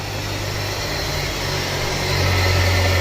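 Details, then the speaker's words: Motor silent when run unloaded with the fan blade removed, but under fan load it drones with a rough, uneven hum; worn, failed motor bearing heard only under load. "এই মটরটি খালি চালালে কোন sound হয় না কিন্তু লোডে ফেললে অনেক সাউন্ড হয় এবং লোডে ফেললে বোঝা যায় যে বেয়ারিং নষ্ট হয়েছে"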